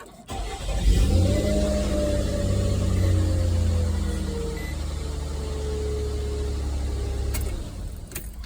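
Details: 2006 Nissan Xterra, crank-no-start from ignition coils shorted by oil from a failed valley cover gasket that blew the 30A ignition fuse: after the coils are reconnected, it cranks, catches within a second and revs smoothly with no misses; normal start.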